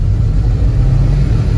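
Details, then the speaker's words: 1973 Mustang Mach 1 with transplanted 351W and Holley 750 CFM vacuum-secondary carb, partly cold start: low, lumpy V8 rumble with uneven beat as electric choke runs it rich, loading the plugs, slight black smoke; smooths as choke opens. "listen to this startup maybe you can tell that's loading the spark plugs up because it's a little bit rich it's rumbling a little bit"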